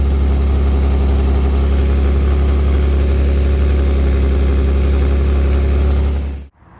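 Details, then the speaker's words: Mazda 323F V6 at idle: deep steady idle with rhythmic puffing chuff about four a second; exhaust blowing through holes that a sloppy repair failed to seal. "as you can see for my very sloppy attempt at repairing this exhaust uh these holes just will not seal um the more I put in or on the more just keep blowing out"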